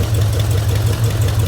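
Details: 1972 Chevy El Camino V8, flood-damaged, HEI distributor and used carburetor, after adding carburetor base bolts to fix vacuum leak and readjusting choke: steady even idle, no stumbling or misfire.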